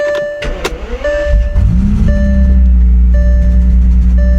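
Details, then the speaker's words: 2005 Bentley Continental GT W12, sat for years, previously firing on only 6 of 12 cylinders, started after dead battery dealt with: catches after whirring, low idle with slight uneven pulses, sputtering a little; rough running after long storage. "and sputtering a little bit. She sounds good. She is spitting a little."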